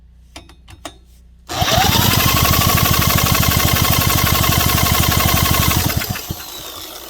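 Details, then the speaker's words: Small Honda engine from a scrap pile, with a repaired intake valve, firing on fuel poured into the intake; no kill switch fitted. Sudden hard, even popping for about four seconds before fading, with blue smoke; compression restored. "It'll probably fire on the fuel that I poured in the intake. Let's see. I bet it'll go. Blue smoke."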